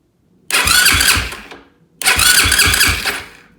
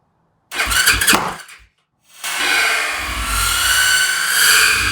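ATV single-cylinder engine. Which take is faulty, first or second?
second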